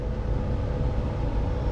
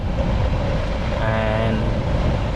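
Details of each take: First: Ford Fusion blower motor, removed and reconnected, run on low fan speed: low steady fan drone with a faint uneven ticking inside; the blower motor itself is failing and needs replacing. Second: Ford Fusion cabin blower motor, passenger side: the newly installed replacement spins with a steady smooth whirring hum and no ticking, unlike the old motor that ticked.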